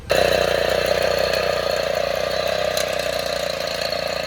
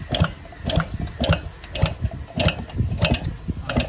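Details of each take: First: 1960 Suvega 50 cc moped after a cold start, with the engine started by motor since the clutch did not engage: small two-stroke buzzes at a fast even beat, no misfires or knocks. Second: 1960 Suvega 50 cc pedal-start moped, long stored and dusty, on a cold start attempt: steady pedal ratchet clicking with no compression or firing, as the clutch does not engage to turn the engine.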